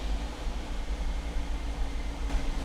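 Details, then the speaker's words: Volvo with CEM-1A5D / 902A fault code at idle, pedal untouched: engine hunts and huffs with low rough pulse, revving by itself, sounds like coil problem; throttle body doesn't know its position, only partially responds to pedal. "and it sounds like we have an ignition coil problem but it's because the throttle body doesn't specifically know where it is so that's why it's huffing and puffing like like it does now and it only partially responds to the gas pedal"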